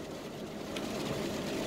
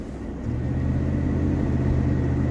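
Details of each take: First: 2004 Chevy Tahoe after front differential replacement for a whine under throttle near 40 mph: steady road and driveline hum at about 40 mph, no whine or growl; front differential now quiet. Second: 2004 Chevy Tahoe driving: road drone with a whine that builds with speed, faint at 25 mph and louder toward 35-40, present on throttle and gone off throttle. Suspected worn front differential ring, pinion and bearing; front diff being replaced.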